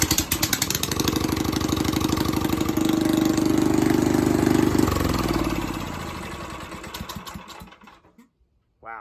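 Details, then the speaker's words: Predator 301cc engine swapped into a 1989 Yamaha Warrior quad, started with choke on and no exhaust fitted: harsh, loud crackling bark rising with revs then dying away; needs an exhaust/muffler. "that's intense uh so we need an exhaust for you bud"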